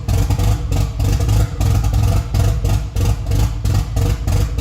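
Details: Freshly rebuilt Nissan 180SX SR engine, first start after 10 months, no exhaust and intercooler piping not fitted: loud open-pipe idle surging and sagging roughly every second with a choppy beat; hunting lumpy idle.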